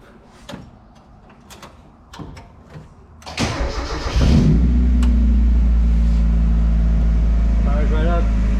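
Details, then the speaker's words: Spec Miata that sat over three years, after fuel pump replacement and an adjustable fuel pressure regulator: starter spins briefly, then the engine settles into a steady, even idle at about 800 rpm with no misses or knocks. Normal idle. "i just fired up it sounds really good the idle is set so it's idling at like 800 rpms now"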